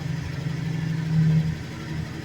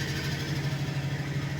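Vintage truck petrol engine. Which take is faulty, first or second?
second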